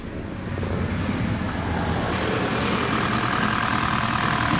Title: Honda fit gp5 (P0301) Misfire No:1 Cylinder